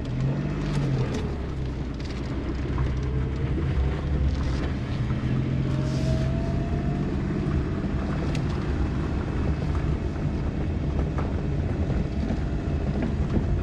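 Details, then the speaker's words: Suzuki Kei Works 4WD, bought cheap, test drive after viscous coupling replacement, pulling away: only low engine and road hum, no "gogogo" rumble that used to appear at low speed on tight turns; drivetrain sounds quiet and healthy. "うん音なんないですねわかんないけどちょっとこれだけしか音なんないような気がする"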